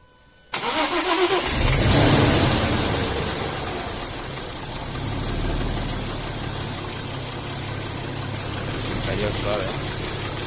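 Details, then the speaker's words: Audi A4 V6 that had a knocking noise and flickering oil-pressure warning, after repair: engine catches quickly and settles into a smooth, even idle with no knocking like before; normal start and idle. "dele bien ahí como podemos Escuchar ya el motor está funcionando totalmente normal suavito no hay no hay golpes como se escuchaba al principio"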